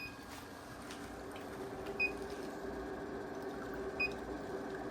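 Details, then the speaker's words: Inverter with battery at about 52.8 V and 114 V AC output, beeping when a coffee maker is started: short high beeps about every two seconds over a quiet room hum, warning of low battery capacity for the load, then the beeping stops. "we need more battery. That's basically what that means. But it's gonna go ahead and make that coffee though. And it stopped beeping."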